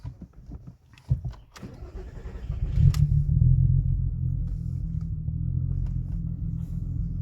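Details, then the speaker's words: VW Golf 4 V6 24v AUE running full E85 ethanol, started just after flashing a new engine map. Catches on the first try and settles into a smooth low idle with no stumbling; the previous map wouldn't start first time and stalled. "Ça tourne nickel, quoi. Ça démarre au quart, pas de broutage, rien, que dalle."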